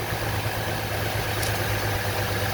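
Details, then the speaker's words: 2003 GMC Envoy idling with a coil/plug disconnected on the bad cylinder: steady low hum, no spark snap, no change in running, dead cylinder causing random misfire, rough running and flashing check engine light. "and you can just tell it was running rough so this is the bad cylinder hopefully you can tell"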